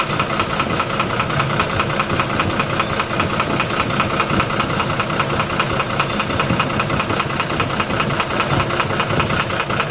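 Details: 12-M FE engine at idle: regular knock about two and a half per second over steady running; internal engine knocking, cause not yet found.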